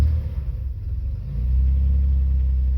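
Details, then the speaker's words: 1989 Chevrolet Celebrity base model, 205,000 miles, after battery reset and correcting tampered setup: revs ease down and settle into a steady low even rumble within seconds; normal idle. "Hook the battery back up. Let's uh see if it idles now. It should."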